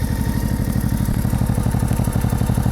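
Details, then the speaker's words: Honda sidecar motorcycle at warm idle, coolant around 100 °C with thermostat open, charging 13.5–13.8 V: steady, even low thrum with regular firing and no misses or knocks; normal idle. "подтеканий под нами не видать. Двигатель работает ровно."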